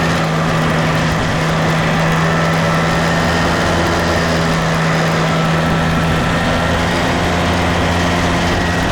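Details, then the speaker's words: Case 188D diesel backhoe tractor after a year-long rebuild, after a four-mile road trip, good oil pressure and water temperature: loud, even low drone holding a steady pitch on the road, no knocks or rattles; normal running under way. "it's alive it's alive it runs it runs it runs good everything sounds good everything's working good"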